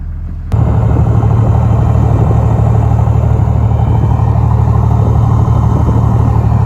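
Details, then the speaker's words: Toyota Land Cruiser 105 series diesel after a dyno tune at HPD, with the idle raised slightly: deep, even rumble at idle with a steady beat and a faint turbo whistle at the exhaust, a healthy tuned idle. "So you've got a little bit of a turbo whistle on idle at the exhaust, which is awesome. And yeah, it's just got a slightly different tone, which is great."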